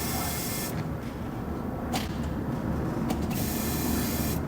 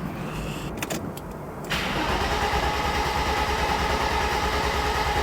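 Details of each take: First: Mercedes R107 300 SL that won't start, ignition on: steady even whirring hum from the fuel pump priming normally; smells rich. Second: Mercedes R107 300 SL in for a no-start and service; fuel pump heard priming at ignition on: starter spins the engine evenly for about seven seconds with a steady whirr but it never fires; cranks, no start.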